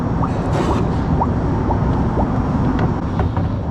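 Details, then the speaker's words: Jeep Grand Cherokee after thermostat replacement for P0128 check engine light, idling while coolant is topped up and bled: irregular bubbly gurgles and pops as air purges from the cooling system; air in cooling system. "can hear it kind of gurgling. still deciding whether it wants to be full or not. Trying to get it to come out of the bleed a little bit."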